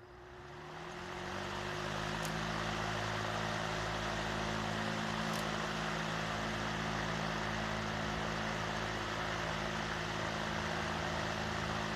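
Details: Vintage Emerson box fan after restoration, reassembled and oiled, switched to high: motor hum climbs to speed in about two seconds, then holds a steady even drone with airy rush; no rattle, runs clean.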